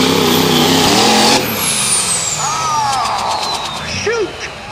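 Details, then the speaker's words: Diesel 4x4 pulling truck under full load at a tractor pull: hard-pulling diesel roar cuts off abruptly mid-run with a falling whine after; sudden loss of drive, suspected snapped drive shaft or rear end, not confirmed. "That sounded like a drive shaft or rear end snapped. I can't see from here, but I would not drive."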